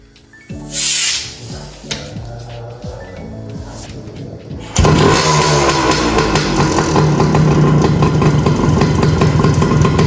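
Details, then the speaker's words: 1981 Suzuki TS185 two-stroke single, restarted: after a few kicks it settles into a steady, even ring-a-ding idle, running well, holding oil, little smoke, fuel mixture right; normal healthy idle. "I've got it idling. It's absolutely running mint and it's holding oil."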